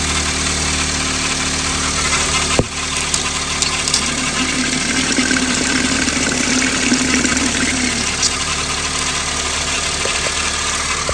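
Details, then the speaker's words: 2009 Honda Civic at cold-start idle: low droning groan from the power steering pump rising for a few seconds; steering very heavy on a test drive, pump then replaced. "All right, today's subject here complaint noisy power steering pump."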